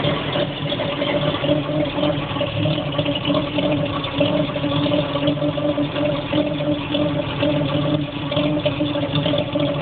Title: CCKW engine knock